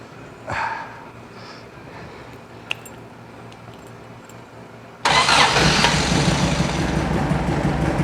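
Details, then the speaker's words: Circa-1970 sand rail with 2.2L engine and dual 44 IDF carbs, revived from dead: catches abruptly, idles and revs rough and loud, backfiring through one carb; owner suspects bad valves, one cylinder not running. "so all right so she'll run she'll idle she'll ref fire kind of backfired out of that carb so valves are bad probably same thing on that side just didn't uh go off yet"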